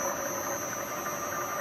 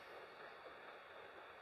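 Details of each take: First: Acra Bridgeport-clone mill head after worm drive gear repair for the power quill down feed and a new belt: steady whine holding pitch over the motor hum as the head runs, the newly fitted belt noisy. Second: Acra Bridgeport-clone mill head reassembled after repair, all parts cleaned and oiled: the spindle turns with only a soft, even hiss and no rumble or grinding. The spindle bearings run quiet and normal.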